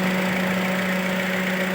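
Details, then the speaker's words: 2010 Toyota Altis petrol idling with A/C on, low rpm and shaking, weak acceleration; unplugging coils one at a time shows cylinder 2 dead, uneven shaky beat; coil/spark plug on cylinder 2 suspected. "เหมือนกันครับลักษณะนี้สูบ2มีปัญหาแล้วครับ"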